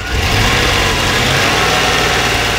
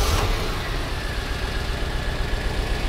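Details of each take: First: 1992 Corvette V8 idling just after exhaust repair (melted cats) with a steady, even drone; sounds much better, though the idle is not fully smooth and a miss is still heard, suspected on the left bank. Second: 1992 Corvette at idle, mic next to engine, just after exhaust repair with new cats: uneven stumbling idle with lumpy low beat about four times a second; steady misfire on one bank.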